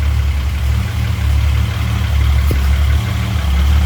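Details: Chrysler VIP Hemi 245 six after an ICE ignition install (timing 16° at idle, curve from 1000 to 2900 rpm), started the next morning. A deep, steady low idle with an even pulse and no misses or knocks; normal.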